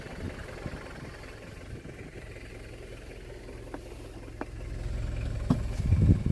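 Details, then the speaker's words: Imported Japanese Mitsubishi Delica Star Wagon diesel, 4-speed automatic, 232,000 km, new aluminum radiator: after two glow-plug clicks it fires right up into a low, steady, sturdy idle with no knocking or misfire. "Firing. Fires right up, feels real sturdy."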